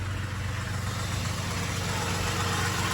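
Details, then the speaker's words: Engine at idle with accessory belt removed from crank pulley to diagnose loud whine: steady, even, smooth low rumble, whine gone, confirming bad bearing in alternator, tensioner or power steering pulley. "see it's much quieter now i don't hear that whiny noise anymore"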